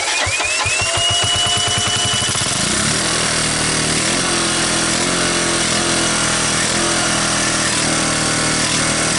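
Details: 1985 Honda ATC125M single, revived after seizing, PZ27 carb on rotated manifold, portable 12V CDI, cold start on choke: quick cranking then catches and settles into an even, steady run with clean exhaust note; runs normally.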